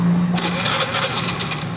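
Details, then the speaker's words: Honda Vario scooter previously making a klotok-klotok engine knock, traced to a faulty automatic cam chain tensioner (tonjokan); now a smooth, even idle with no top-end knock or rattle; normal after repair. "Oke, halus nggak suaranya? Mantap. Oke guys, jadi penyakitnya sudah ketemu, cuma ditonjokannya doang. Motor sudah halus kembali."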